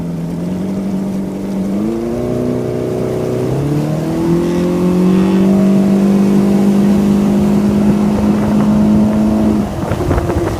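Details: Outboard motor revving on takeoff: a loose, uneven rattle clatters over the engine note, then goes away; the bushing was found missing from the shift lever, causing shift linkage rattle.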